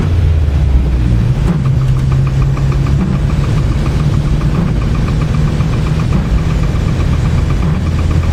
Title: Knocking sound